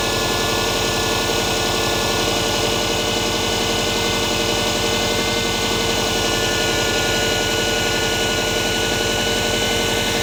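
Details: Subaru EJ20G turbo boxer engine at idle: steady idle with a regular light knock, about three or four per second; source not pinned down.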